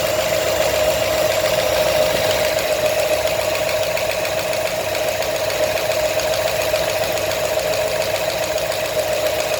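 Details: New 347 crate engine at idle: steady idle with light, fairly regular tapping about three to four a second; knock of unclear cause, not confirmed.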